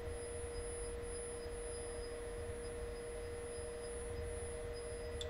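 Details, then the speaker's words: Single-motor VESC setup on a Trampa ORRSOM longboard, with the motor ticking slowly forward and back across the Hall sensors during detection. A quiet, steady mid-pitched tone with no crackle or stutter, normal motor detection. "now what we're going to do we're going to play our settings that we've just got so the motor will tick forward and backwards across the halls usually working slowly"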